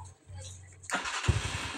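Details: Rusi 250cc motorcycle that wouldn't start, battery run down, problem was fuel; after refilling the tank: quiet, then the engine catches at once and settles into a steady, even run; normal start.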